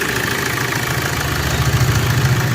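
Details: Suzuki Swift Dzire DDiS diesel, about 21,000 km, after timing chain repair: steady idle with even low chatter, no puffing from intake or misfire, pickup restored; normal idle.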